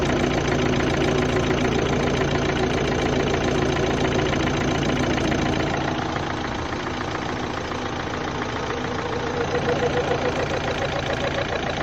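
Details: 2011 Opel Astra 1.7 CDTI diesel at idle, warm or cold alike, with a steady regular knocking about three or four times a second beneath the clatter; same background noise on gear changes; source unidentified, owner asks which part.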